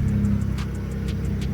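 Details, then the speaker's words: BMW 335is (E92, N54, JB4 and MHD tuned) idling after tightening the part causing the belt squeal, oil just topped up: steady idle with light rapid loud injector ticking, squeak gone; normal idle. "So I'm gonna try just tightening it, and if that doesn't work, then I'll go ahead and change it. So I don't hear the squeaking anymore,"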